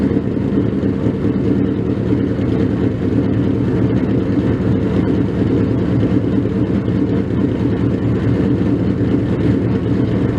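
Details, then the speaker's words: First cold start of a freshly built 302 stroker Mustang: loud, deep, steady V8 rumble at cold idle with no knocks or misses, running healthy. "so with that let's hear that cold start"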